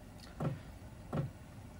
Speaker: then when it reaches a certain point it will turn on the pump and you'll start hearing a click click click you can hear it clicking now that is the diesel pump